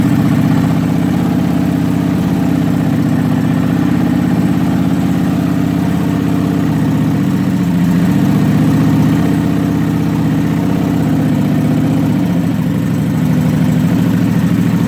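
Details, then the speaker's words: Cold start on a 1996 Kawasaki 750 project bike, rectifier disconnected after shorting: steady, even hum at raised revs on choke, no stumbling or misfires; normal fast idle on choke. "It hasn't been fired up this morning, so we'll turn it on, make sure the choke is set, give it a little fire up. Choke it a little more, get the revs up. There we go."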